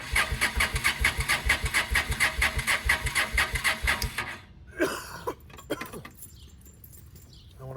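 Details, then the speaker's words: 2007 Honda Shadow V-twin idling after a clutch replacement. A heavy, regular knock about twice a second persists until shutdown; the clutch replacement did not cure it and the cause is unconfirmed. "I got that clutch on, and it was still knocking to beat hell. You can hear it in the video."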